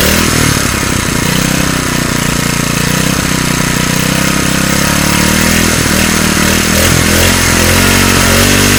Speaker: so my dad just told me that if i fix this engine i could have it so i got it fixed now i'm gonna show you what she sounds like